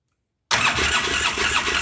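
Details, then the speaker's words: 2009 Polaris Sportsman 800, sat about six months, fresh gas and tank flushed, fuel pump not previously running: pump now works but system totally dry; after a pause starter cranks steadily with quick whirring churn, never fires; needs priming. "yeah the pump's working it's going to take a minute to get primed the system's totally dry actually the pump's totally dry"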